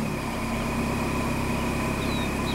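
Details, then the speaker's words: 2006 Dodge after oil change and clearing codes: steady, even idle with a smooth low hum and no knocks or misses; running cleanly. "it's amazing what it sounds like with good oil in it."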